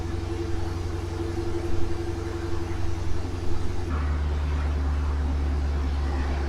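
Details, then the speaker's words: 2016 Dodge Challenger R/T 5.7 Hemi V8 after installing JBA ceramic-coated shorty headers: smooth deep burble rising with throttle blips then rolling past evenly, no ticks or rattles; healthy, more throttle response. "Sounds good. That's a good looking car. Thanks, John. These definitely got more throttle response now."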